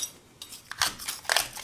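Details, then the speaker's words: Metal scraper tapped on interior plaster blown by penetrating damp and salt efflorescence: light clicky taps ring thin and hollow, showing loose plaster that still needs removing. "Can you hear that? That's definitely means that it's there's more to to come off."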